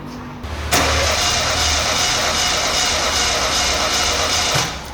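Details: Chevrolet Celta (GM) cranked on the starter with the ignition coil disconnected so it cannot start, during a relative compression test with a current clamp on the starter cable: about four seconds of steady, unbroken rhythm. Compression sounds even across cylinders.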